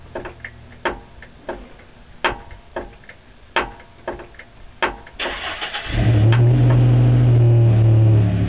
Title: clunk sound from steering